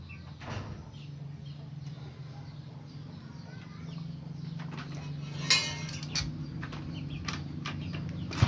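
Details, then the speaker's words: Honda Supra Fit wood-hauling motorcycle, after repair of a rubbing/scraping noise at the magneto (left) side: a low, even idle hum with steady pulses and no scraping. Only carburetor sound remains; the engine sounds healthy. "ada suara tuh gini nggak ada yang srek srek-srek ini kita suara karbu aja tuh gak ada yah suara bunyi"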